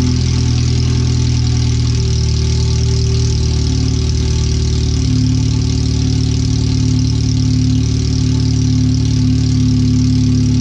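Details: Engine idling on header only, no exhaust fitted yet, after header replacement, O2 sensor relocation, wideband bung and new fuel filter, first closed-loop run: very loud, deep, lumpy unmuffled idle, way too loud; ECU read 5–7% rich.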